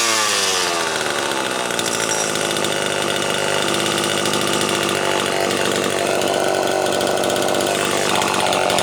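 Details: Homelite XL-12 two-stroke chainsaw, test run after installing a new condenser; a shop had blamed 90 psi low compression for not revving. It revs to a sharp, steady high-pitched scream and holds without stumbling, running healthy.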